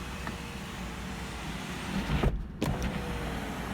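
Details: 20-year-old Ford Focus Ghia, one-touch power window: a smooth, low motor drone as the glass travels, ending in a soft thump at the stop. The power window is working normally.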